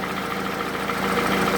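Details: Toyota Camry, 2AZ gasoline engine, 220,657 km, smoke from under the valve cover; recorded by the running engine: even idle with a faint, steady knock under the drone. Balancer shafts mentioned as possible; engine to be disassembled to see.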